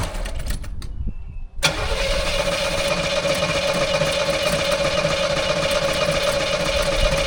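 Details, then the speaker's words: 1984 Chevrolet Monte Carlo SS left untouched in a barn for years: long steady cranking, tries to catch but never runs after priming fuel is used up; no-start from fuel not reaching the engine from the tank. "Sounds like it's gonna fire off pretty easy actually, and it does sound a little bit thirsty. Let's give it a little bit more of a drink here and see what we got. It definitely wants to run."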